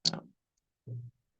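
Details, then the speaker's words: Arduino Maker carrier water-level control lab (relay 1 pump, relay 2 fan) after code upload: two sharp dry clicks about a second apart in a quiet room; relays pulling in and dropping out for no obvious reason. "We hear the relays clicking a little bit, and somehow miraculously, this thing seems to be doing something."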